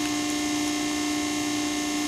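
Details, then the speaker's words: Pacific press brake with PC 800 control, started in inch mode: loud, steady mid-pitched hydraulic pump hum with no surging or knocking, normal pump running. "It's going to get loud, so you'll pull the start button. It has to be in inch mode in order to start it."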